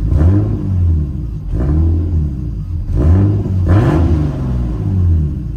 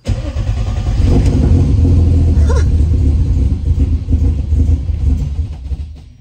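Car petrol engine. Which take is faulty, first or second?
second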